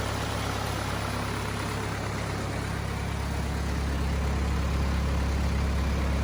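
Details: Cummins 4BT diesel in a Power Wagon, first run since 2015, temporary battery, 8 psi fuel pressure, not hot; steady even low idle with smooth regular beat, no knocks or misses: normal idle.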